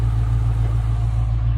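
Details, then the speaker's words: Dodge Charger Scat Pack Widebody with 392 V8, salvage rebuild, running on a jump box without the radiator fitted: deep, steady rumble with an even beat and no knocks or ticks; idles smoothly and sounds healthy. "So, as you can hear, it's running. I ain't got the radiator and stuff in there yet,"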